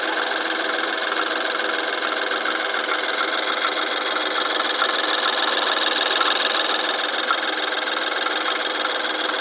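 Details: BMW N20 petrol engine, 2013 (63 plate), 6,000 miles, at start-up: fast, fairly even metallic rattle, three to four a second, over steady idle; owner suspects turbo wastegate flap, source unclear.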